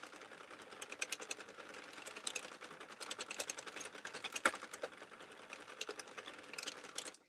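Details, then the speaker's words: Crank knitting machine, compared favorably with the owner's Central 48 that popped at the handle; quick, even stream of light clicks with no pops or catches while cranking a hat; normal smooth cranking. "guys this it really is cranking like super smooth it's really doing way better than my um Central 48"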